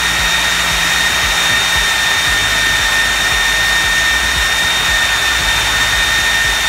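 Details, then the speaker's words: 3D-printed EDF fan unit on test run at about half power: a clear, constant high whistle rides on the steady rushing fan; the owner attributes it to rotor imbalance and plans more balancing. "As you can hear and see from the testing, it seemed to run pretty fine. I'm going to do a little more balancing of the rotor itself because I don't like that whistling noise."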